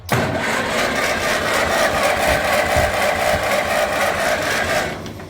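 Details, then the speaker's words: Massey Ferguson TEA20 tractor bought as a non-runner, previously hard to turn over because of a failing starter: it now cranks steadily at about four turns a second with no drag or stumble. Points look close and the coil is suspected. "so she turns over no problem now"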